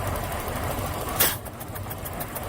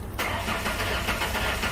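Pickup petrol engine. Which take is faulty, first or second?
first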